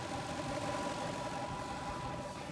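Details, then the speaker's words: Toyota Land Cruiser bought as a non-runner (no compression reported, died while driving), now running after roadside fixes: steady, even idle with smooth low rumble, no knocks or misses, under some cabin noise; engine sounds healthy. "Engine bay looks great, too. We got no issues. Smells good. Sounds good."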